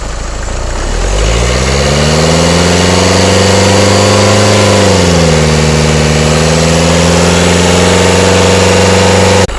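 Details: Nissan Micra engine: it catches and settles into a steady idle with a low, even drone and brief speed dips. An abnormal engine noise is present at idle, cause unclear.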